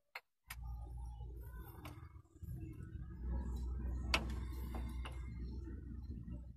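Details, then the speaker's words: Isuzu 4HG1 diesel engine being overhauled, crankshaft turned slowly by hand at fan, stiff to turn, giving dull irregular clunks and knocks with low rumbling drag; driver reported engine knocking, head to be removed. "mga kabayan, kung maririnig nyo, lumalagutok siya pag iniikot ko."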